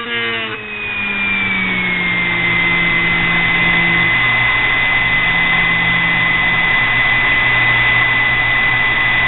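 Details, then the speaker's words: Homemade mini grinder built from a sewing machine motor with a drill-type cutter arbor: a high, steady whine with faint rhythmic pulsing. The arbor wobbles and runs out, and it squealed before being oiled. "I mean it's just homemade get way up there it kind of squeals so I oiled it then it does kind of go off wobble you'll see it"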